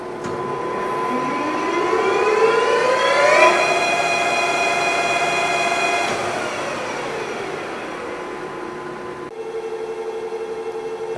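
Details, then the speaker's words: Lion 23MT lathe headstock test run right after break-in oil change at about 35 days, oil flow confirmed in sight glass; smooth whir rising in pitch as spindle spins up, holds even, winds down cleanly, no grinding; normal running. "and it's showing its pumping so everything's working properly and everything sounds good in that speed range"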